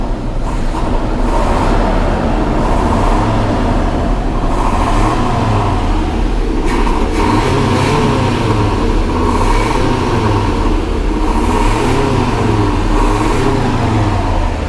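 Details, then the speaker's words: 1985 GMC Sierra 1500 after the pushrod and valve adjustment repair: blips rise and fall evenly without stumble or shake. The exhaust no longer spits and the earlier shaking is gone, though contaminated fuel in the tank still keeps it short of perfect. "you all can hear that she's running really well and when you get under here you used to be able to hear the exhaust spit and it will be like pot nice and smooth now"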